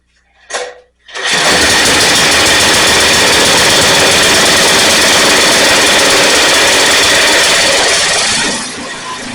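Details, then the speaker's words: Rear-engine Snapper mower, sat in a field for years, carburetor bowl just loosened, no air filter: brief cough then a thin buzzy run that sags and fades, trying to stall. Sputtering; carb adjustment didn't help, running way lean. "So it was running, but it didn't run well. It's kind of kept trying to stall out."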